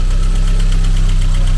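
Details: Mercedes 190E 2.3 16v Cosworth Evo, long abandoned: rough uneven idle with sharp ticking pulse about eight per second over loud low drone; cylinder 1 shows zero compression, dead cylinder, oil in head, low oil pressure, suspected stuck piston ring.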